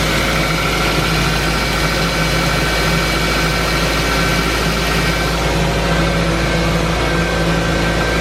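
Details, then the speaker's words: 2006 Pontiac Vibe after owner replaced the failed starter and reconnected battery: engine catches and settles into a steady, even idle with no misses, knocks or grinding; sounds great. "But oh my gosh, it sounded so great."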